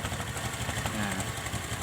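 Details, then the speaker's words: Small motorcycle after air screw (baut angin) adjustment: turned fully in it stumbles and nearly dies, then backed out until idle holds without throttle; now an even steady low putter with no hunting, idle set correctly before revving. "ini sudah pas langsamnya dapat kita geber gas seperti ini"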